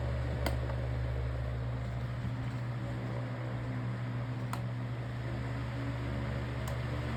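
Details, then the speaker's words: Black fan after replacing a damaged blade and parts, tested after reassembly; steady, even motor hum with smooth whoosh and no wobble, rattle or thump; normal running. "We're going to test it just to make sure it works properly."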